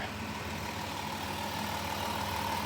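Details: Van just jump-started with a jump starter after dead battery: steady even idle with faint constant tone, no misses or knocks; engine running fine while charging.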